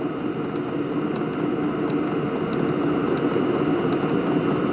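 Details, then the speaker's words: HCALORY HBH2 5L 8kW diesel parking heater running after fire-up with the display showing red: steady even roar of the combustion fan with a few light clicks, heat settled and a strong warm airflow; normal running. "So, the burner's running. The heat has settled down. It's running very nicely."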